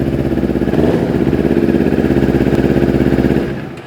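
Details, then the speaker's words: Kawasaki Ninja 250, cold, after replacing injection sensor and spark plug cap/coil; previously lit injection light and wouldn't idle: even steady cold idle, regular low beat, no misfire or knock; runs perfectly now. "Moto que acendia luz de injeção, não dava marcha lenta. Aí, ó. Funcionamento ficou perfeito."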